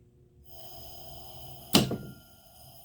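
Steady electrical hum, then one sharp clack near two seconds as the contactor drops out when the low-pressure switch opens.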